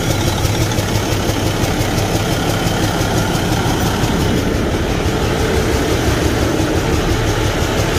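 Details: Kenworth T680 truck with a Cummins ISX15 diesel at idle; an uneven rough chuffing beat about three times a second under the clatter from a damaged cylinder leaking compression, causing no power and high crankcase pressure.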